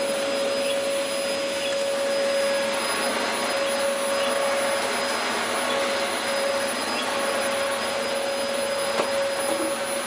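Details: Early-2000s Dyson DC04 special edition vacuum, first run after reassembly: steady even roar with a constant high whistle, no rattling; motor runs fine, suction acceptable, filters clean, brush roll not driven.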